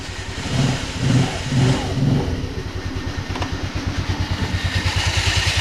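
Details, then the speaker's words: Baotian 125 scooter, cold, just fitted with a new carburetor, revved a few times then held: a steady pulsing drone with a rough low flutter, which is the drive belt making the noise. "Ce bruit c'est la courroie."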